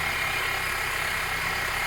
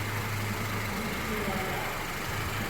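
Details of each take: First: Steady idle with a constant high whirring hiss over the engine, heard under the hood; screwdriver stethoscope on the tensioner pulley shows it noisy; suspected dry worn tensioner pulley bearing. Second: Engine idling after an inspection where the complaint was a check engine light, having run a while with no leaks and a dry floor: smooth, even low hum with no ticks, squeal or rattle; running properly.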